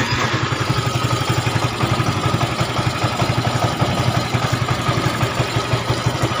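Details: Yamaha Mio 125 automatic scooter after engine rebuild with new block, piston and rings, after previously rough, smoking and burning oil: steady even single-cylinder idle, no tick, knock or clatter, rain hiss behind; sounds healthy.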